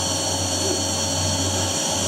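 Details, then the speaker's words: Vacuum cleaner running: steady, even high-pitched motor whine with no change in load and no suction at all; owner suspects a filter not fully dried. "there was absolutely no suction coming through here at all I have no idea why"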